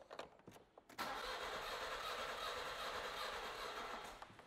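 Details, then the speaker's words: Car engine cranking during an oscilloscope relative compression test: starter spins at a steady pace but the rhythm is lumpy, one beat lighter each turn, from a completely dead cylinder with no compression while the others are good. "as you can see the waveform looks completely and utterly different this is kind of the best-case scenario we know the other cylinders are good and we've got a completely dead one"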